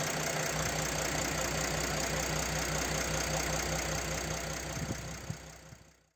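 Even diesel clatter at idle with a steady rhythm and no sharp tick over it, then a clean shutdown; engine sounds healthy.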